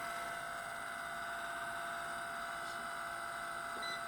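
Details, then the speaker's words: Electric fireplace fan running with a quiet hum and a thin, steady high whistle on top after pressure on the fan is released. The cause is a dry sleeve bushing dragging. "so you put some pressure on this fine take your finger off and it'll start the whistle"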